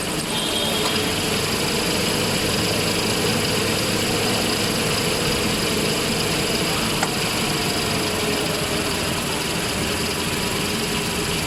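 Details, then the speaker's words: Toyota Hilux at idle with the clutch pedal released: a faint, fast cricket-like chirp over the engine hum that disappears when the pedal is pressed and grows louder when hot; suspected clutch release bearing. "ini dia bunyinya kayak ada bunyi jangkrik sudah tetapi pada saat pelat ke pedal kopling kita injak maka bunyinya akan menghilang seperti ini"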